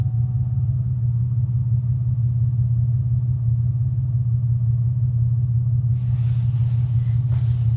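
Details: 2001 Pontiac Grand Am engine: heavy steady low drone from motor on starting, with vibration and noise worsening under acceleration; cause not identified.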